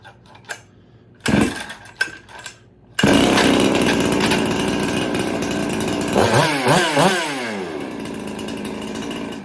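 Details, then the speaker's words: Ported Jonsered 670 chainsaw, first runs after porting: a few rope pulls, then it fires and runs steadily, revving up and down cleanly; earlier hard starting thought to come from several factors, now cleaned up. "so yeah I can start it now uh I think that was just a combination of bunch of factors that was making it difficult to start but I got them cleaned up now"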